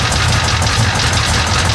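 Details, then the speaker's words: Hurricane-flooded 1966 Chevy Impala 427 V8 just after starting following starter work; loud, lumpy, wavering idle with mechanical clatter, sounding noisy and close to dying; owner feels it needs a teardown; rough running. "no sounds a little noisy she going to die yeah she going to die"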